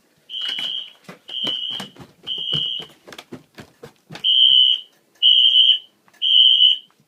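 Piercing high horn blasts, each about half a second, repeating roughly once a second; the fire alarm system is in full alarm.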